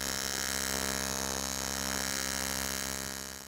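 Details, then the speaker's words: Steady, even, constant-pitch buzz of AC TIG welding on aluminium, the normal hum from the 60 or 120 Hz AC frequency turning into vibration in the torch. "that's actually translated to a vibration that's what you hear when you're on and well nacy you hear that humming"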